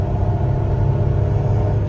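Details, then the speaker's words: Supercharged Impala SS at about quarter throttle, with the clogged (about 85%) catalytic converter cut out and used, mismatched spark plugs. Smooth, deep pull with a faint supercharger whir, no rattle. Runs healthy. "on a little bit she she goes that was just probably quarter throttle sounds good I can hear the supercharger"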